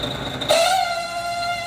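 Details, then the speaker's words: Refrimate beverage display cooler, noise from underneath: steady, rather high-pitched whine from the small condenser fan motor with a dry, worn bushing; motor to be replaced. "só Eita barulhento aqui o problema é no motor do ventilador"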